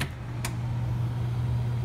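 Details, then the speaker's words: Furnace forced-air blower running after fan switched on at the HVAC control: steady low hum with soft rushing air, even and unbroken; normal operation, control works. "I just turned the fan on at the at the property at nine nine one four mission Vega Road you can hear that the fan is on right now that's the sound of the forced air unit"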